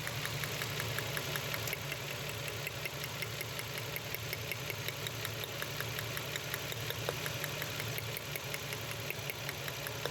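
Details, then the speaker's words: Nissan Xtrail V6 petrol with misfire, vibration and poor pickup: rough, uneven idle with a fast ticking knock and shake. The coils were checked on both sides; two clogged injectors weren't working and are being replaced. "খোলার পর injector গুলা খুলে দেখলাম ইনজেক্টরের সমস্যা injector জাম হয়েছিল কাজ করতেছিল না দুইটা"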